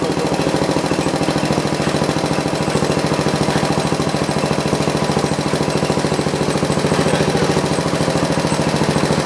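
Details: John Deere 112 round fender with a Kohler K181 single-cylinder engine and a new carburetor; steady thumping at about two beats a second that holds low and never climbs. The engine won't throttle up; governor and throttle adjustments are being made.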